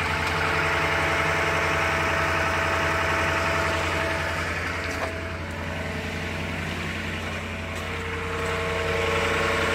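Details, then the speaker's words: 2011 Dodge Ram Hemi 5.7 V8 cold start after sitting four days, steady even idle with no lifter tapping; earlier tapping occurred with Castrol Edge full synthetic, changing oil brand helped. "all right so that uh that startup after about four days um and there's no tapping like i had before"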